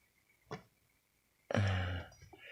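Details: Pot lid lifting as steam pressure builds underneath; a lone tick, then a sharp pop and half-second low buzzing rattle as the lid drops back, mistaken at first for a rat in the wall.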